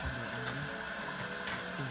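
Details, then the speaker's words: Toilet fill valve that hisses and screams, after the valve was replaced, water level set too high: water keeps rushing and hissing into the tank without shutting off, float never rises to close it; fix is lowering the level by turning the adjustment screw. "看，它这样永远都起不来了，所以你必须得找螺丝刀把它拧一下，把这水位调低一点。它因为它这样水位上不来，它永远都弹不起来。"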